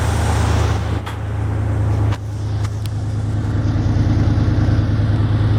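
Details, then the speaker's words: 1975 Jeep CJ5 V8 with rebuilt 650 CFM Holley carb, PCV line fitted to stop a vacuum leak: deep, even rumble at a steady but slightly high idle, no misses or knocks; air screws not yet adjusted, small drip noted; normal idle. "Sounds good. Smells good. Idle's too high."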